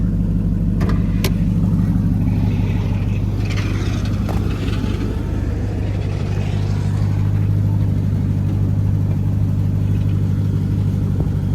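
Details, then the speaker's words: Salvage-auction three-row SUV with sunroof and an oil catch can; everything under the hood looked in order. Deep, steady V8 burble at idle with an even beat and no knocks or ticks; healthy idle. "Well, let's let it run and get a rev on this one too. Yeah, that's tough. I like that."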